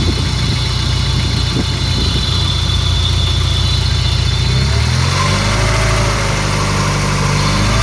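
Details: Peugeot 306 GTi-6 engine at idle: metallic rattle and thin screechy tone wavering in pitch over low rumble; owner asks what the rattly screechy noise is, source unknown.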